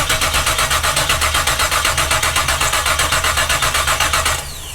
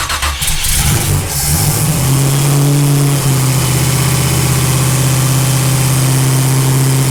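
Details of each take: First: Split-bumper Camaro with freshly swapped 468 big-block Chevy, quit on first drive: starter spins steadily about four beats a second, never catches; no fuel reaching carb, aftermarket mechanical pump suspected not pumping, fuel filter seemed good. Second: Split-bumper Camaro with freshly swapped 468 big-block Chevy V8, after it quit on the road and fuel delivery was checked: it cranks, fires cleanly and settles into a deep steady idle, "sounds pretty good", running properly.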